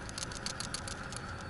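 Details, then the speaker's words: PCV valve removed from a 2011 Toyota Camry Hybrid 2.4L with white smoke on startup, shaken by hand: a light, crisp tick about every tenth of a second. The plunger moves freely, unlike the clogged valve. "It's still making a sound if you shake it. But this one, if you can hear, is freely."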